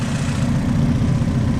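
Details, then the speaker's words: Honda Civic SiR, 1.6 DOHC VTEC B-series, during break-in heat cycles before full temperature, after a Cometic head gasket, ARP head studs, new Gates timing belt and cams, with the belt loosened at the 14 mm bolt. A steady low rumble with no belt whine or squeal; clean, even idle. "Yeah, this thing's sounding good. So I did go back and loosen off the 14 mil. You can see the belt's running a lot. It's not as tight. Doesn't sound like a supercharger."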